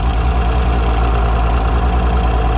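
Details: Mercury Optimax outboard running after a fuel diaphragm replacement: steady, low idle with even pulsing. Air pressure reads about 2 lb low; the air pressure regulator diaphragm is leaking.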